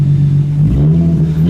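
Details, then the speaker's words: Infiniti G35 V6 (spark plug had an electrode bent by detonation, compression decent across the board): short, smooth rev with a clean climbing note, no popping, ticking or blow-by; healthy. "yeah I think it's it sounds really smooth now no blow-by"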